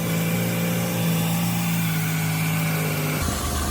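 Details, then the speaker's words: Ford Escape at first start after repairing a blown-out spark plug thread: smooth, even idle with a steady low hum, no misfire felt, and no ticks or hissing leaks from the plug. "Sounds good, sounds real good. Put our hand on the engine, and it doesn't feel like it's misfiring."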